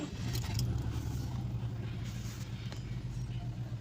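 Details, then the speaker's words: Subaru Forester at idle after replacing the mass airflow sensor and clearing codes: steady even low hum, no surging or misses; before repair it had misfire, rough idle and check engine light with MAF circuit code. "You see there's no any check engine on the dashboard. The engine is smooth."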